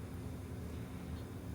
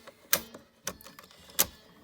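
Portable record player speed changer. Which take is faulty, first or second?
second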